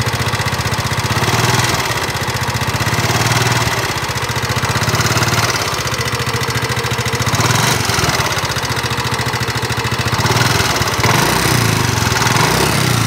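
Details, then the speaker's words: Nmax (2019) scooter, engine recently repaired with piston and block replaced per owner, still rough. Uneven clatter with harsh metallic ticking over a busy idle; knock source uncertain, cause not confirmed. "motor teman-teman nmax suaranya kasar pada bagian mesin utamanya dari pengakuan si konsumennya"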